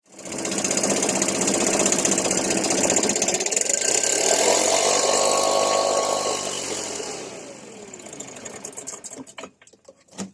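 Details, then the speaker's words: Stihl BR550 4-Mix backpack blower, never maintained and hard to start, revs up, holds briefly, then sags, sputters and dies; the bogging and stalling trace to loose valve lash. "this uh steel backpack blower here is a pig to start i might add the guy who owns it has never done any maintenance on it whatsoever and after about five minutes it completely bogs down and dies out pretty fast"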